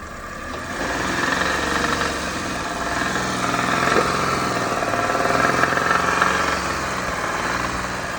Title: Посторонний звук в двигателе, непонятный гул в двигателе, гудит движок, при повышении оборотов гул,